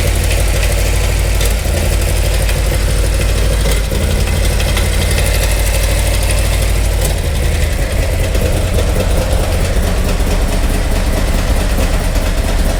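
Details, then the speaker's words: 2018 Harley-Davidson Milwaukee 8 with 114 Screamin Eagle Stage 4 kit: loud V-twin idle with steady knock, louder toward the rear cylinder and lower down; mechanic suspects rear exhaust lifter or broken valve spring, unconfirmed. "I'm going to make a early prediction that is a rear exhaust lifter or a broken valve spring just just because I feel like I hear back here but also a little bit down here"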